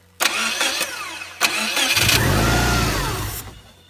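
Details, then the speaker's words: 2002-07 Subaru WRX/STI, first start after installing a new starter: starter spins briskly for about a second and a half, engine catches cleanly and settles into a steady idle; the new starter solved the starting issue. "See, it starts up just fine and that solved our issue."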